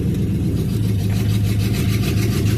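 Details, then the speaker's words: Triton engine on a chilly morning at a fast idle above 1,000 rpm, after plug wires were changed and injectors tapped. Low drone with an uneven lope: still misfiring, with an injector, coil pack or plug wire suspected. "I got it running a little bit better, but it still sounds like it's got a damn miss."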